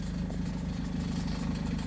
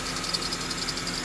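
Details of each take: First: Honda CR-V before repair: low rhythmic puffing idle with ragged chuff on each firing pulse; exhaust leak after the cat where the cat-to-muffler pipe flange separated, three bolts rotted; belt tensioner also squeaking. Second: Honda CR-V after the cat-to-muffler pipe flange leak was fixed with a split flange. A low, even idle under a steady hiss with no puffing or ticking from the exhaust joints; no leaks, it runs clean.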